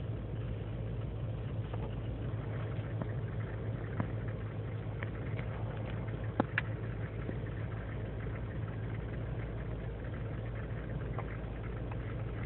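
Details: 2003 GMC Sierra Z71 5.3L V8 (non-flex fuel) idling without throttle after overnight in single-digit cold: uneven lumpy idle with irregular pulse; lean and misfire codes, owner suspects failing intake gasket vacuum leak; runs fine warm.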